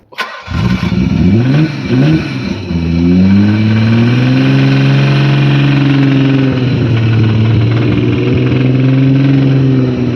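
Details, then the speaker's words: JDM right-hand-drive Nissan 300ZX twin turbo manual, about 1989–90, former track car, on a cold winter night: engine revving hard through several swells with a rough, uneven knock under the exhaust. Bad bottom-end rod knock. "She don't sound good, but she survived. So the engine knocks, hey? Yeah. Badly. For real bad."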